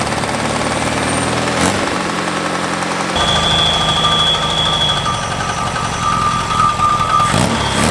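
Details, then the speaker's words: Freshly rebuilt VW Type 3 flat-four, first run: fast steady rev with a thin hiss; an open port at the back of the carburetor leaks vacuum, raising the idle; covering it brings the idle down. "I forgot the back of the carburetor the uh that's just open air leaves that's why it was revving high oh big vacuum I just put my finger over it and it idled do"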